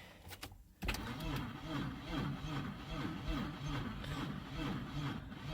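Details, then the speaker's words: 2002 Audi A4 no-start, service brake light on, starting fluid tried: starter turns engine over sluggishly in uneven pulses, never catches; owner suspects weak battery charge or a bad connection. "battery's still not charged enough that's where because these lights are on so something is not getting a connection somewhere"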